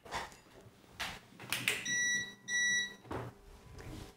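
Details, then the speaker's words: CyberPower Value SOHO UPS after replacing the faulty battery that had caused constant buzzing with a Hitachi CSB 12V 9Ah; with mains cut it gives a couple of short, clear high beeps and switches to battery normally. "has successfully switched over to battery mode and we've now officially breathed new life into this defunct ups unit for only 20"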